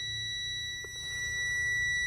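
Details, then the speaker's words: Semi truck at first key-on in the morning, with an air leak on the truck side while the trailer holds 118 psi: a steady, piercing high electronic tone without a break; the low air pressure warning, truck tanks empty. "So we'll turn the key on, do all our stuff, and I'll tell you what right now, if you hear that annoying noise and you see this readout,"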